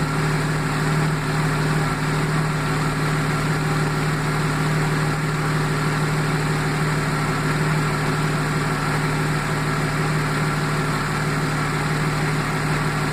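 Steady low idle with an uneven, loping beat and irregular dips in the firing rhythm; sounds like a misfire at idle.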